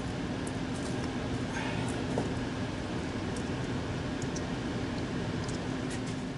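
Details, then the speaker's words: 15-year-old heat pump air handling unit after fan motor and squirrel cage replacement for a noisy motor: even steady air rush with low hum, no squeal or rattle, blower running correctly. "all right it passed the smoke test so here it is drawing it in on my left in this case and i checked the vent make sure it's blowing out of the vent not sucking into it"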